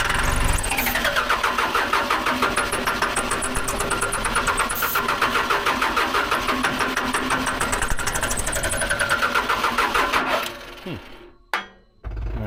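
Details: Case 580 L diesel backhoe cranked after the batteries went in, a new fuel filter was fitted, the line was primed and ether was sprayed. Even starter churn, about three turns a second for ten seconds, never catching. Crank, no start.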